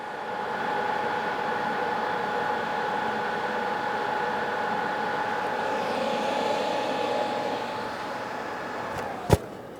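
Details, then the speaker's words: MIG short-circuit welding, wire feed speed lowered another 30 below the 90 A baseline: soft, steady frying hiss with faint thin whine instead of crisp crackle; smaller, cooler weld, still decent transfer, useful for thin sheet metal. "Again, smaller weld, still a decent transfer as you listen to it. It's starting to sound weird, but believe it or not, that is a very useful condition for sheet metal, thin stuff."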